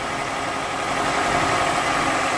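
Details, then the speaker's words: 2002 Toyota Camry at warm idle with coolant bubbling in the radiator: a loud, steady rushing hiss as gas blows back out of the open oil filler; head gasket leak. "And when I removed the cap for the oil filler yesterday, see if I can do it again. You can hear it blowing back through. Hear it? Pretty bad."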